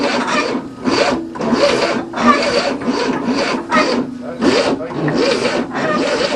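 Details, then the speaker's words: 1967 Cadillac that had not started in 30 years, with a new starter and the timing retarded: uneven chugging cranking bursts that never catch and run; it smells flooded, the choke was closed and is being propped open. "Alright, I think you flooded it. We'll stick a screwdriver in it. Go. Okay, choke open. It smells flooded here."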